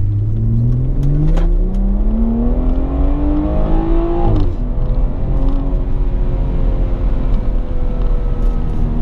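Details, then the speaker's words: BMW F30 in sport mode at full throttle after replacing the parking brake cable retaining clip that caused a center-console scraping noise; engine climbs cleanly, shifts around four seconds, pulls again, no scraping; normal acceleration. "I haven't gone Full Throttle in so long just because I hate hearing that noise so much I didn't realize how much of a difference that would make for me"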